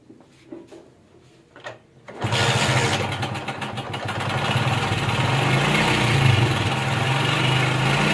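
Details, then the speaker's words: 2021 Honda CD70 motorcycle just started and settling into a fast idle, with a steady, loud metallic rattle on top: timing chain noise typical of a slack cam chain. "सबसे पहले मैं motorcycle को start करता हूं start करके इसकी टमक चैन का जो आवाज है वह मैं चेक कराता"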